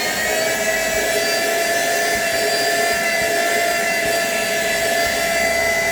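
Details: Philco portable vertical cyclone vacuum cleaner that made a strange noise, tested after repair and reassembly: a steady high-pitched motor whine with even airflow rush and no grinding or rattling; the motor runs smoothly.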